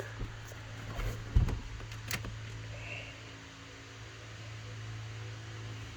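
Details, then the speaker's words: 1994 Chevy Caprice with LS-swapped stock 5.3 V8 on Holley Terminator X Max, first ignition cycle: low steady electric hum behind a few clicks, fuel pump priming normally; pressure about 85 psi, possibly too high. "so we should hear the fuel pump and all that yep so there's the fuel pump"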